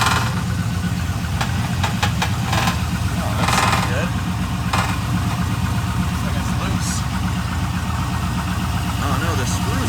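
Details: Modified Trans Am WS6, after a cold start: uneven light rattle over a steady low idle rumble, not locked to engine speed. A loose part with its screw missing.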